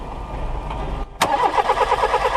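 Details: Old VW Polo 1.4 L petrol that will not start: even starter cranking at a few turns a second with no firing or catch. Spark test on the disconnected ignition coil gives no arc, so the coil is dead and must be replaced.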